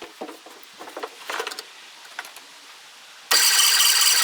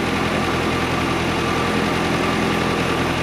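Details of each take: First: 1958/59 Austin Gipsy G1 M10, stored 11 years with original petrol, cranking after points set to 16 thou: starter spins in short bursts but never fires; no spark, traced to the ignition feed wire melted off at the power terminal. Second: 1958/59 Austin Gipsy G1 M10 on 11-year-old original petrol, just started: low, somewhat uneven idle with a soft steady hum, no knocks or clatter, a little smoke; idling acceptably.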